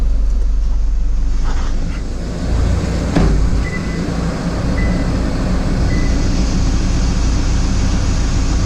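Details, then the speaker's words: Toyota Prado 150 diesel after replacing gasket part 17451-74051 to cure the common squeak: even diesel clatter at steady idle with air conditioning on, no squeak or chirp heard; fix successful. "So far, so good. Haven't heard anything."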